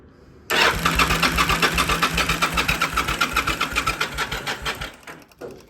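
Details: Yamaha V Star motorcycle after fuel pump and filter replacement; starter turns engine slowly, two to three even strokes a second, then stops without firing, owner attributes to battery; bike started on next attempt; slow cranking.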